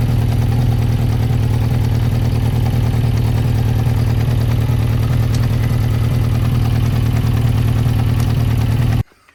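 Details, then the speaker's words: 1992 Yamaha XJ600 Seca II after carb cleaning, idling in neutral: low uneven throbbing idle about three beats a second that never settles then cuts out; cylinder two sounds off, possibly missing, not confirmed. "So, what is wrong with number two? Number two sounds like it's off."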